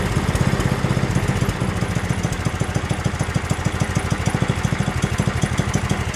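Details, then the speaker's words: Yardworks 27-inch two-stage snowblower, pull-started because the electric starter seems dead: the single-cylinder engine chugs at a steady low beat with a slightly uneven pulse, running on its own. Drive issues remain, with R1 creeping forward. "all right guys so that's uh that's good here we got this thing up and running"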